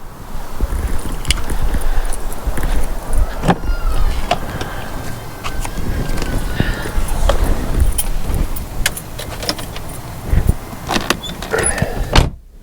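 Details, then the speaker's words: VW TDI diesel at idle after replacing the engine mount, belly pan still off: low, even idle with no shudder or heavy throb, only some handling clatter; previous severe vibration is gone. "Oh wow, okay. Much better. That's night and day different."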